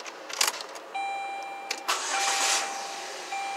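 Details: 2007 Saturn Ion 2.4 Ecotec with intermittent crank-no-start (P0336), after crank sensor replacement and codes cleared: a short crank catches on the first try, then a steady idle with a faint electrical whine.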